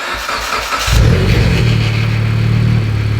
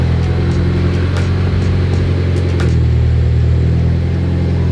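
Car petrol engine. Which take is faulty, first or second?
first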